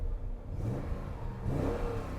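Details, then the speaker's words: BMW Z8 with 37,000 miles, just bought: push-button start, then engine fires and blips up and down crisply without stumble or rattle; runs beautifully, sounds like a BMW M5. "and it does run beautifully push button start and it sounds well sounds like a bmw m5"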